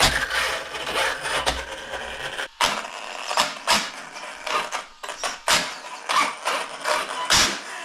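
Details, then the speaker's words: Arrma Kraton 1/8 scale 6S RC truck, which has rear, center and front differentials: uneven bursts of sharp clicking and rattling as the drivetrain spins up and down, from a failing differential. "There's a rear, center, and a front right here, and when it's going bad it sounds something like this. Hear that clicking? Sounds awful."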